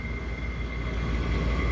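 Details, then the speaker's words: Office HVAC unit after replacing three blown fuses and with condenser fan run capacitor testing low (6 µF of 7 µF), contactor pushed in: deep, steady roar with constant high tone; condenser fan and compressor both running evenly. "Push in the contactor. Condenser fan motor's running. Compressor's running."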